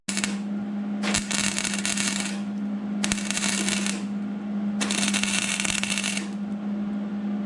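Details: 2002 Mercury Sable station wagon rocker panel rust repair, MIG welding overhead on the patch near the B-pillar: three crisp, steady frying bursts of about a second each over a constant hum, even crackle without popping; a clean, normal weld.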